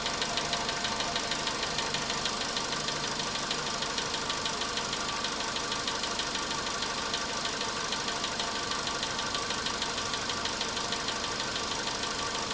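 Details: VW Polo sedan, cold start at idle: a steady, rapid ticking knock of about ninety-five a minute. The knock reportedly fades after about 4 minutes 40 seconds, near 55 degrees.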